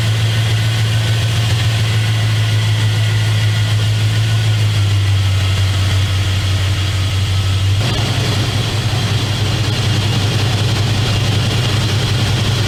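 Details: 2001 Dodge Dakota 4x4 with 4.7L engine after power steering pump replacement and bleeding with power steering fluid: smooth, steady low idle with no whine or groan from the pump, running quietly and healthy.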